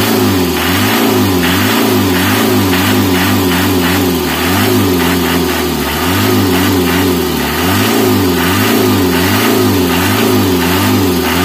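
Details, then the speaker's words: Mitsubishi L300 diesel, engine warm, after fixing white eye-stinging morning exhaust smoke (suspected leaking injector); clean diesel revs rise and fall evenly with no misfire, knock or stumble; exhaust now clear, engine sounds healthy. "Ia memang uh eh mantap suaranya Joe"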